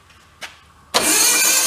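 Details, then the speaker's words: Untested built 2275 cc air-cooled VW Beetle-style engine, stored 8 years: short crank, then it catches with a loud rough roar for a second and dies; ground wire suspected to have fallen off, not confirmed. "oh yeah it ared for a second and died like that so I think our ground wire just fell off the other end so there's no ground to the system"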